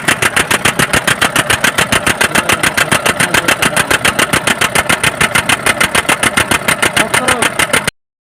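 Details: BS4 common-rail diesel vehicle, codes P171A/P1B87: after starting, diesel chops in a steady stuttering beat, about three and a half cuts a second; injectors checked fine, rail pressure sensor fault suspected of cutting fuel control.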